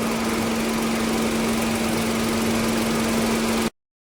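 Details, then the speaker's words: VW Polo with P0301 cylinder 1 misfire code, stalling after 10 km and low pickup: at idle a smooth, even low hum with no ticks, misses or stumbles; engine sounds quiet and healthy. "Engine भी silent है पूरा। कुछ problem नहीं है।"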